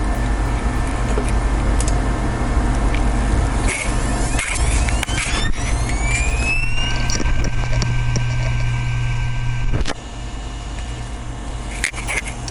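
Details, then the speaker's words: Known-good RAID server hard drive (disc number 2, same batch and manufacture date as the failed drive), microphone on the drive, spinning up with a smooth rising whine to steady pitch, light seek ticks, no clicking; synchronized and ready status. "Bom, o nosso HD funcionando já sincronizou e em status pronto."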